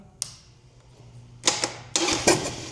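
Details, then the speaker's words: 2003 Harley-Davidson Sportster 100th anniversary, key on and starter button pressed: a few sharp dry irregular clicks over three seconds with no cranking; starter solenoid clicking, faulty starter motor, replaced. "Hear the click, click, click. So if you hear that, it's generally your starter as a rule of thumb."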